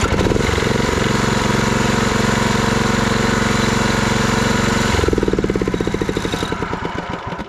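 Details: Walk-behind mower engine being modified for towing behind a quad, run on a jump pack with key switch, solenoid and kill switch working: steady single-cylinder thumping at an even pace, then slows and fades when killed; runs cleanly.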